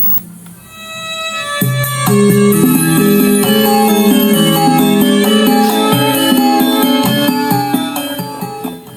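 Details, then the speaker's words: Polytron PMA powered speaker with subwoofer, after repairing cables chewed through by rats that had caused no sound: clean, full music with solid lows and no crackle, buzz or dropouts; playing normally again. "Alhamdulillah speaker aktif Polytron PMA-nya udah mengeluarkan suaranya lagi. Ini berarti speaker aktif Polytron PMA ini udah oke, udah normal lagi, udah bisa diambil sama yang punya."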